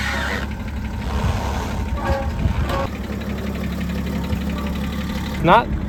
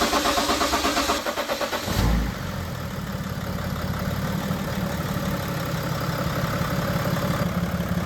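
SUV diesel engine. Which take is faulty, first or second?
first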